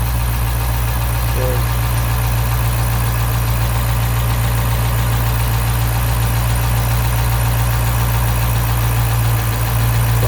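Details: 2012 Dodge Charger 5.7 Hemi after misfire repair, lifters pumped up: low steady idle with even rumble, no ticking left; normal healthy idle.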